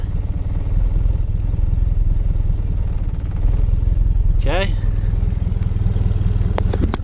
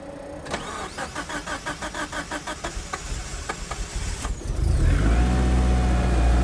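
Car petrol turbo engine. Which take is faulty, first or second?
first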